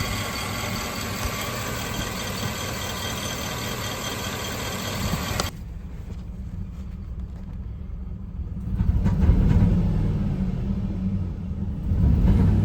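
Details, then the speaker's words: 2008 Chevy Silverado 4.8 LS V8, hauling a load, suddenly loses power: lumpy, uneven rumble with irregular pulses, intermittent misfire with no engine light; fuel pressure fine at 55-60 psi, actual cause a cylinder bank misfiring from a lost ignition coil ground. "Truck is driving normal. Then all of a sudden, I lose power. And this is the sound I'm getting."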